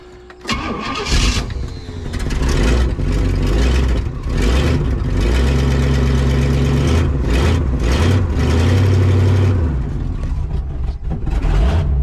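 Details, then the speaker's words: 1967 Pontiac Tempest station wagon after running out of gas and refilling one gallon; starter churns, engine catches, hunts up and down then sags, hard starting and stalling; owner suspects the carburetor, idle screw bent and cam missing. "well now it doesn't wanna so i think i figured out what the problem"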